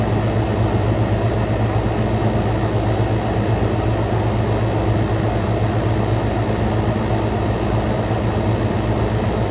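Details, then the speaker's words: Frigidaire Gallery GHWQ103WC1 10,000 BTU inverter air conditioner, compressor at full power, heated then ambient intake air, about 44–46° out: smooth even low hum and steady fan rush, no knocks, rattles or squeals; normal compressor operation at full load. "46 come out0 going in this thing is more t y compressor is at full power got now we're back to ambient going in we got 40 44 coming out"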